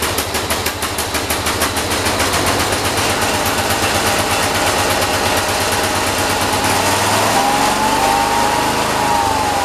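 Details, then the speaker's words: John Deere 212 tractor engine after carburetor adjustment, starting at full throttle with throttle not springing back: sharp irregular popping and crackling, speed hunting up and down; running rough, cause undetermined. "I think we got to play with it some more something's not right something is definitely not right"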